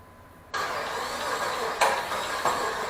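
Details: 2002 Jeep Liberty, first start of swapped 3.7 engine, intake wet from pressure washing: catches half a second in and runs uneven, surging every half second to second; rough idle from an O2 sensor connector not fully plugged in.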